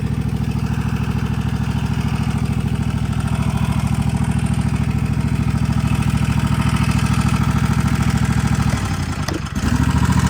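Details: Toro TimeCutter 50-inch mower with Kawasaki FR691 engine: steady idle, then loud harsh clattering rattle once blades engage, first suspected as valves needing adjustment; found worn deck spindles, needing center and right-hand spindles.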